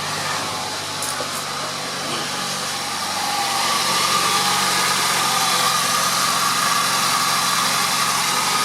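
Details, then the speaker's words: 2001 Nissan Sentra idling after a new fuel pump assembly was installed, with the tank almost empty. Steady, even idle with a smooth hum and no knocks or misses; the engine runs normally. "although the car starts and runs the fuel level monitor"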